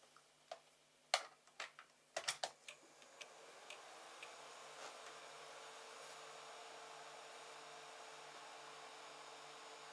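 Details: 3D printer enclosure, 24V-to-12V buck converter heatsink after replacing noisy AMD CPU fan with 80mm Silent 8 fan: a few handling clicks, then faint steady even whir, no rattle or buzz; normal fan running.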